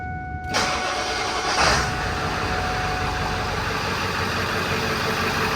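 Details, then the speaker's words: Ford 7.3 diesel truck after replacing cracked flexplate, rear main seal and up pipes, warmed to operating temp: catches and settles into a steady, even idle without knocking or rattling, much quieter than before; normal diesel idle. "much quieter you can talk around the truck now man it was loud before"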